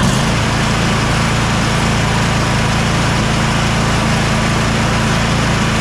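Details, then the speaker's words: Bad Boy zero-turn mower with a Kohler KT745 (7000 series) twin that bogged down with no power under load, after ignition coil replacement: a steady, even drone with no misses. It ran perfectly for half an hour with the blade engaged. "after running it for about half an hour everything worked perfect blade still engaged"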